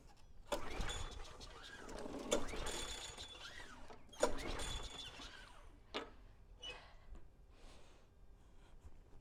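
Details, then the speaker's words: Lawnmower being troubleshot, starting fluid sprayed directly into the engine: bursts of cranking with brief sputtering catches that die out each pull; fires on starting fluid but won't keep running. "Sounds like it wants to start."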